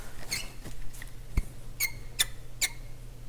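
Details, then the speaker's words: Yamaha CR-450 stereo receiver under repair: short, sharp squeaks every half second from a dry rubbing part as the mechanism moves. A rail was greased without certainty that it was the source; a tiny bit of lubricant on a lip later fixed the squeak. "grease on that rail and see if that quiets that squeak down just just a little bit here i don't know if that's what's squeaking or not"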